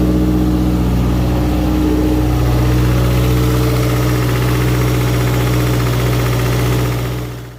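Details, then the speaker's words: 2015 Subaru WRX FA20 with the fuel pump fuse pulled to relieve fuel pressure before a compression test: idle holds several seconds, pitch shifts slightly, then fades and stalls as fuel runs out and rail pressure drops to zero. "We want some fuel, but we got no fuel. All right, that's it. We got no pressure on the rail."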